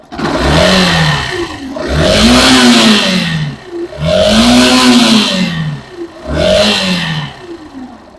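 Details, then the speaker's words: Factor 150 motorcycle, revved in bursts: rough bearing-like growl from the lower engine as it feels tied up; battery stopped charging again after ignition module, hybrid sensor and voltage rectifier were replaced; burnt stator coils the cause. "bom rapaziada esse barulho nada mais é do que mais um problema crônico das Factor 150 beleza essa moto aqui ela novamente ela parou de carregar a bateria essa bateria descarregou novamente e esse barulho começou é como se tivesse um rolamento roncando fazendo um barulho"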